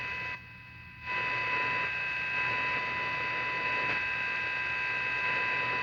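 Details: Olympic combo AM/FM tube tuner with silver mica disease in IF transformers, after FM alignment: steady hum with fixed high whistle and no AM station audio; AM gain lost, cause suspected.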